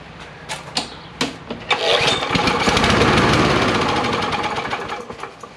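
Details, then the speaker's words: John Deere JS63C push mower with 6.75 hp Briggs and Stratton OHV engine, freed from lock-up, after flywheel key fix: a few clicks, then catches and runs steadily on little fuel before easing off; normal running. "It runs and it sounds good off the little bit of fuel it has, so I might experiment with it a little bit and try to see if with this carb, if I can just get it running with that."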